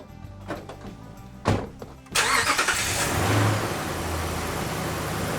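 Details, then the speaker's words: Ram truck after installing new Optima QH6 lithium battery (880 CCA): a few clicks, short even crank that catches cleanly and settles into smooth idle; app shows 14.48 V and 100% charge within seconds. "It started, and just running these few seconds, it's already up to 100% charge, ready to rock."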